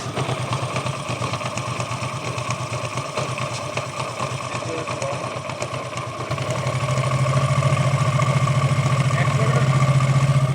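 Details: Hero Glamour motorcycle: idle carries a rough, rhythmic rumbling rattle that lessens as revs rise and is louder when riding; seems to come from the clutch side, pointing to worn crankshaft bearings.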